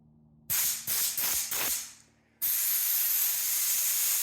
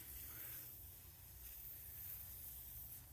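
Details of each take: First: Craftsman air compressor feeding a regulator and air hose set to 80 psi after a fitting was tightened to stop a leak: four short sharp blasts, then a strong steady hiss that stops cleanly; normal leak-free airflow. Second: Craftsman air compressor with newly installed pneumatic fittings, regulator set to about 80 psi: faint steady hiss of escaping air over a low hum, a small leak at a loose fitting, stopped by tightening it.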